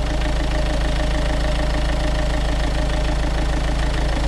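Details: Renault Kangoo 1.5 dCi diesel after accessory belt change and oil change: even, steady idle clatter with regular beat, no knocks, squeals or belt chirp; running fine.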